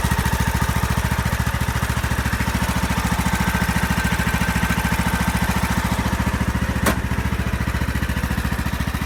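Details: Craftsman YS4500 lawn tractor with a 20hp Briggs & Stratton Intek OHV engine, after a head gasket replacement that cured oil burning and smoking, plus a tune-up with new oil, oil filter and fuel filter. Even, regular thumping idle with steady firing, no misses or knocks. Normal idle.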